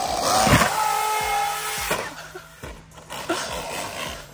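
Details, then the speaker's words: Traxxas UDR brushless RC truck after jumps, with something broken in the drivetrain (possibly the rear driveshaft) and little power reaching the ground. Fast, irregular metallic slapping over the motor whine. "just sounds so bad it sounds so bad it's just metal slapping each [Applause] other"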